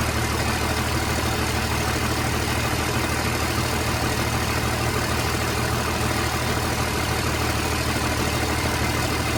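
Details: 29-year-old TimberJack 450-C skidder diesel, sitting 8 years, just started with ether, hydraulics working: steady even low rumble, no misses or knocks; idles cleanly and healthy, blow-by check next.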